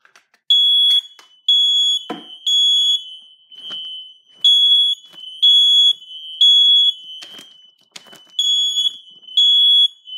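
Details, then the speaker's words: Kidde ionization smoke alarm, mounted higher than others, smoke-tested: loud high chirps in about one-second bursts with short gaps, but responding slower than the other alarms; owner suspects mounting height, cause unconfirmed. "so oddly enough the smoke alarm didn't respond as fast as I did as the other one did which is very peculiar"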